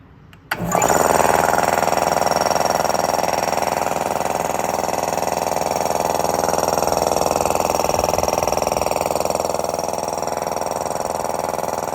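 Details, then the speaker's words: Sanborn 1.6 hp electric air compressor after capacitor check, wiring fix and shortened cord: kicks on at once and runs at a steady, even chug with no bogging, reaching about 133 psi. "Sounds good. I think that did it."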